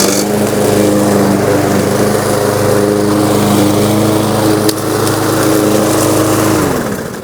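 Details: New Lowe's M230 163cc self-propelled lawnmower in tall grass at about a 1.5-inch cutting height: starts promptly, settles into a steady, even drone with no misses or knocks, then winds down cleanly at shutoff; healthy mower.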